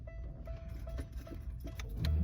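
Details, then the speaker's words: 1996 Buick Riviera with a newly wired push-to-start: key turned on, engine not running, low steady hum with a light repeating tick, the normal ignition-on sound; ignition switch spring issue was triggering a traction control solenoid error. "Right, once you hear the hum, that lets you know the engine is engaged for the ignition."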